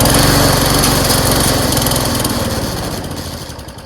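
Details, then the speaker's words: MTD lawnmower after a fresh gas and oil refill. It fires and runs briefly, then slows and fades as it tries to die, and doesn't start well. Stalls after start; owner suspects a valve problem. "it doesn't really start very well now it starts a little bit and then it wants to die"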